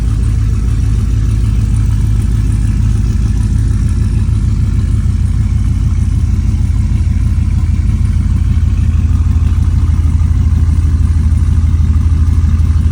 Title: Week and half no start! The SS needs a tune so bad! #yt #update #diy #sub #coldstart #exhaust #like